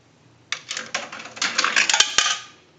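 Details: Single-slot payphone, second quarter inserted: coin drops through with a bright run of metallic clinks and rattles, then settles; accepting it cleanly.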